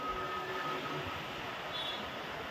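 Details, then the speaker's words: Faint steady high-pitched hum for about 2.5 seconds after ignition-on, then a click, on a Royal Enfield Classic 350 Reborn after repairing its starting problem. Fuel pump priming normally. "Pump കാര്യങ്ങളെല്ലാം working ആണ് on"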